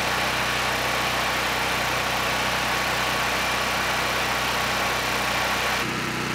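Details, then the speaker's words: Honeywell HW5500 5500-watt generator, 337cc engine, after fitting new Hipa carburetor, replacement tank and old gaskets (insulator issue found); steady, even drone holding speed without surging or missing — normal running. "finally this is a working generator and this one it was supposed to be easy just throw on a new carb throw on a good tank and call it done"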